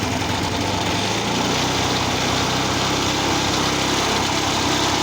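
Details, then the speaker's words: Vintage Maryland reel mower repowered with a single-cylinder lawnmower engine remounted upright, holding a steady buzzy note with no stumbles or knocks; runs cleanly. Owner says the drive is geared too high. "She's a runner. She's a runner. Oh, good old-fashioned stuff."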